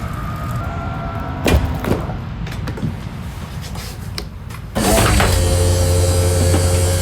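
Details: 2022 Forest River Cherokee Alpha Wolf 26DBH-L travel trailer slide-out extending. After some clunks, a steady, even motor hum with a low drone kicks in as the slide moves out smoothly, which is normal operation.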